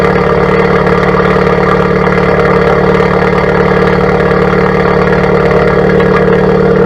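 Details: 2017+ Honda Civic Type R FK8 with Borla Atak exhaust, PRL catless downpipe and PLM catless front pipe, after front pipe install: steady, even idle with deep throaty exhaust burble, no misses, knocks or ticks; healthy normal idle.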